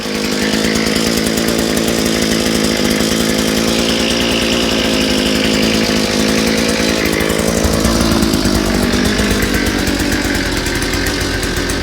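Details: Strong, steady buzz held through the cut with only small pitch shifts under load, no sputter or surging; equipment running normally under load.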